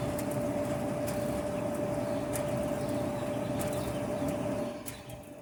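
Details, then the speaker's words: Kenmore Elite gas dryer that squealed when loaded with clothes. The cause was a drum roller out of place and worn out. After the repair the drum turns with an even, smooth rumble, with no squeal or scraping. "pues parece que nos quedó bien el trabajo amigos este se soluciona el problema"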